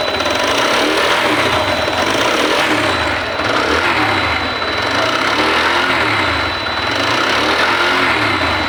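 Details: TVS Apache motorcycle: busy uneven top-end clatter rising and falling with revs, sounding like cylinder noise, but the cause is the camshaft, not the cylinder.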